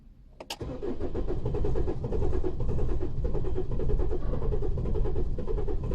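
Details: 2015 Holden Colorado RG 2.8L Duramax turbo diesel: slow, uneven cranking that never starts. The RPM signal drops to zero while cranking, so the crankshaft position sensor is checked next.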